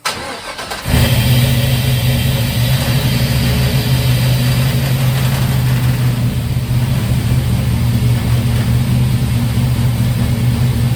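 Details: Turbo LS-swapped 1955 Buick, first start on a new 3-inch exhaust made from tailpipe pieces and a swap-meet Thrush muffler: it catches after a brief crank into a deep, steady, even burble with no misses or knocks; healthy idle.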